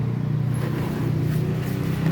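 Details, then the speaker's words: Very old motorcycle engine rebuilt before refitting, compression test by turning over; slow, even chugging with each stroke pushing back firmly; compression strong and healthy. "ini bisa didengar kompresnya dengan Mantap ya teman-teman ini adalah modal untuk hidup mesinnya terutama kompres dan pengapian ya"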